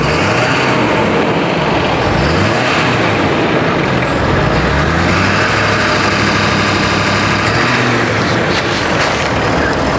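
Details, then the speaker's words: 2014 Ford 6.7L Powerstroke diesel after repair of catastrophic lifter failure with all new lifters and heads: runs smooth and steady, no lifter ticks or popping from exhaust or intake. "As y'all just heard right there, no more lifter ticks, no more lifter pops. Truck sounds great. Truck runs great."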